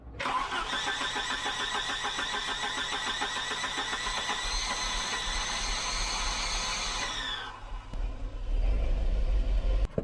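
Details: Volvo 740 2.3 B230F Redblock with automatic transmission, first started in about ten years: high screeching whine over the cranking rhythm for about seven seconds, then it stops; failing starter motor, replaced with a used unit.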